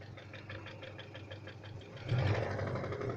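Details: 491GW engine at idle: light, fairly quick tapping riding on the engine beat, rising a little when revved; internal engine knock, cause unclear.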